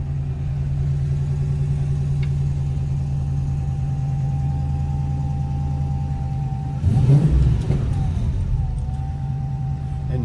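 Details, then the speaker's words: 1971 Plymouth Barracuda resto-mod, 6.1 Hemi V8, fuel injection with modified factory ECU, mild cam: deep even idle rumble, throttle blip rising and settling smoothly; healthy, no odd noises. "no crazy cam, no crazy exhaust, just very, very nice sounding."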